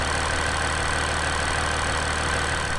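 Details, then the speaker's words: 2020 Jeep Wrangler JL EcoDiesel after fuel filter replacement and a drive around the block: the air has purged from the fuel system. An even, steady diesel idle with smooth, regular clatter and no misses; back to normal. "air is all out of the system now we're back to normal"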